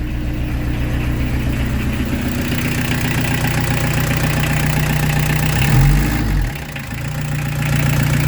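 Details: Peugeot 205 TD diesel just restarted after glow-plug preheat, newly fitted Motorpal 4M injection pump: steady, even low clatter at idle with a brief dip and recovery; normal healthy idle, now running well.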